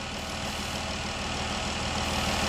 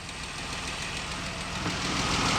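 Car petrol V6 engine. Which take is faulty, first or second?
second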